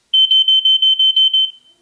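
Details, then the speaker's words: TwoNav handheld GPS route deviation alarm: seven short, high, clean beeps about a fifth of a second apart, previewed at reduced volume. "any time you can mute the volume or adjust it so we can mute it but if I adjust the volume now it'll give you an idea so I'm going to put it down to"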